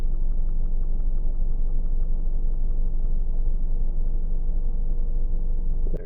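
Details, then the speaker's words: 2017 Ford Mustang S550 2.3 L turbo EcoBoost four-cylinder at idle, mostly heard when stopped: faint light ticking about three times a second over the idle hum from the engine bay or behind the dash; it disappears, returns on revving, and lasts longer in drive. "There's a really odd ticking or tapping sound from the engine bay."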